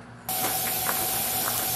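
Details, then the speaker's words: Steam locomotive on a bench being fired up to test new safety valves, before reaching pressure: a steady higher hiss of air leaking sits over the lower continuous rush of the blower. "The higher hissing you hear is the air leaking. But the lower one, that's the blower going."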